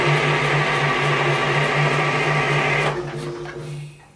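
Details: Detroit diesel dragline idle 13 years in Florida sandpit, cranking: steady whirring crank with quick pulsing beat, no firing, then winds down; engine turns over but won't catch. Cause not confirmed.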